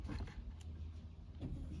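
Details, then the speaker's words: 2018 BMW F30 with battery draining: low steady electric hum of the fuel pump running with ignition off whenever the connector is plugged in with the original cluster board; fault not yet solved. "When I plug this connector with ignition off, the fuel pump starts working. Okay, I don't know. Okay, I don't know if you can hear it, the fuel pump."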